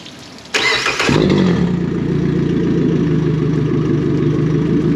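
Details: Yamaha VF150 four-stroke outboard started with water on after oil change, oil just shy of dipstick midpoint; quick crank catches at once and settles into a smooth, even idle with steady low hum, healthy start, checked for leaks.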